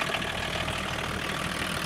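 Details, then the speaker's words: BMW 524td with M21D24 diesel after valve adjustment, run with vacuum pump removed: steady, even idle with soft regular clatter and no loud valvetrain knocking as before; sounds healthy. "well that sounds pretty good to me yeah doesn't really seem to have the loud knocking noise that was doing before"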